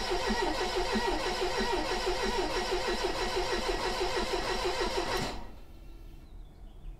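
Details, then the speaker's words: 1985 Mercedes 190E, KE-Jetronic, injector into a catch bottle: starter cranks evenly about three turns a second for five seconds, never fires; fuel pump heard but no fuel from the injector; cranks, no start. "I hear the fuel pump I just don't see fuel coming out yet okay well I'm going to assume that the fuel pump works uh it's just not pushing"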